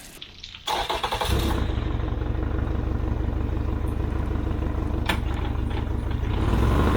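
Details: Yamaha outboard on 1980/81 Sun Tracker Party Barge pontoon, water hose on, after opening fuel vent and turning choke off, before carburetor cleaning; catches after short crank and settles into steady, even idle with no misses.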